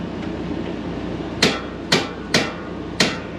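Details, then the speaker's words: 2014 Winnebago Minnie Winnie 331K Class C RV propane stove eye: four sharp, crisp igniter snaps about half a second apart, then quiet; burner lights right up, normal ignition. "lights, and that one lit right up."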